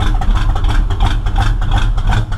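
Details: Engine running rich and smoking heavily: heavy, uneven low rumble at idle with lurching stumbles and backfiring out the tailpipes; owner suspects ignition timing off 180 degrees.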